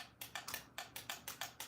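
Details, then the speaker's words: SCX Advance digital slot car, lane-change button pressed on hand throttle: crisp, sharp clicks about five per second as the solenoid drives the guide pin down to switch lanes; normal lane-change solenoid clicking. "That means that little guide pin, this little solenoid is striking that down and that little guide pin is dropping down."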